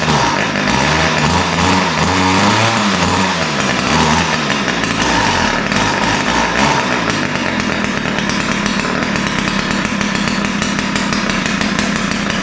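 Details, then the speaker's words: Ryobi two-stroke string trimmer: runs but buzzes with hunting, uneven idle that surges, then thin top end; both carburetor mixture screws too lean, to be opened slightly. "so um you can hear that it runs but it doesn't run that well um it sound sounds like both mixtures are lean the idle is uh doesn't sound right uh typically it'll be a smoother more consistent idle it sounds really lean and the top end sounds lean"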